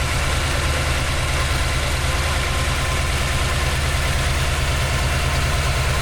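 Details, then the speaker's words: GMC truck V8 after swapping the 950 CFM for an Edelbrock VRS-4150 650 CFM carburetor, idle mixture and speed adjusted: steady, even idle with a smooth low rumble, no misses or knocks; runs cleanly. "Little tweaking to the idle mixture. Got our speed set. We're uh ready to roll."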